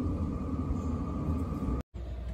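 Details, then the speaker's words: Chinese diesel cab heater in a skoolie bus heating up on high: steady even roar over a constant fan hum, no pulsing or sputtering; burning cleanly, glow plug then off, drawing about 2–4 amps. "starts going faster as it starts calling for more heat and hear the jet engine taken off let's start heating up"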